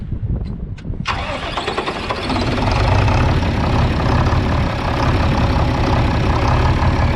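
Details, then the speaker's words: John Deere 4010 diesel tractor after service (nine quarts oil, fuel filters changed and bled): a few cranking turns, catches at once and settles into a steady even idle, no knocks or misfires; healthy. "all right sounds good we'll check the whole level and if it's good then we're ready to start disking"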